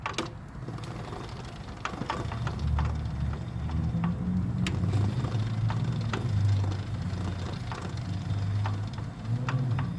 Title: Nissan Rogue "remanufactured " cvt clunking noise coming from Internal bearing. less than 2k miles..